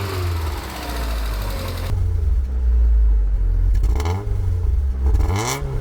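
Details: Abandoned, long-stored Land Rover Freelander, first start with fuel pump bodge-wired to 12 V and no coolant: engine catches and revs unevenly with a loose clatter under rough running; possible knock, shut off quickly.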